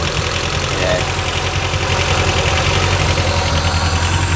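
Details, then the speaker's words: Rover 416 GTi petrol engine idling just after first start following a cut-out and part replacement; uneven, stumbling misfire-like beat. Later runs nicely when warm. "It might start anyway because it ran before, it just cut out, so. Okay, sounds a bit misfirey."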